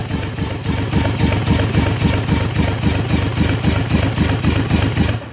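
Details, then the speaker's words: Freshly rebuilt Yamaha 225 outboard on the bench during compression test (about 110 psi), jumper-wired battery: steady cranking without firing, slowing slightly as the battery weakens and needs more revolutions. "And I hear the battery getting a little bit lower, so it's taking a few more revolutions to get the pressures up."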